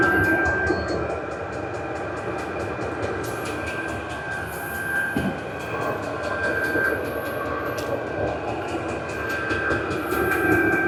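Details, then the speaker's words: Vevor 8 kW 12 V diesel heater turned up to maximum output, exhaust muffler in view: steady roaring blower with faint high whistle and even fuel-pump ticks about 2.5 per second; normal running at full output. "that's the exhaust muffler going to speed it up a little bit do the maximum [Music] and the temperature will raise quickly now [Music]"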